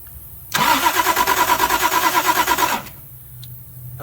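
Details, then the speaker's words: Toyota Supra after sitting since 1995, key cranked with spark tester: about two seconds of steady cranking, three beats a second, then cutting out without catching; fuse blew, owner suspects seized fuel pump drawing too much amperage. "it blew the fuse. I think the fuel pump's locked up and it's trying to pull so much amperage, it's killing it."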